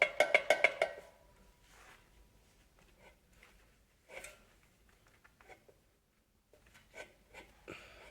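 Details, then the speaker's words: Removed dual-mass flywheel from a 2005 Opel Vectra C 1.9 diesel with noise at the clutch pedal, rocked by hand: burst of hard wooden knocks then clunks; halves have very large play, flywheel worn out. "но собственно наши сцепление наш маховик маховик действительно очень сильно разбит очень большой люфт одной плоскости относительно другого"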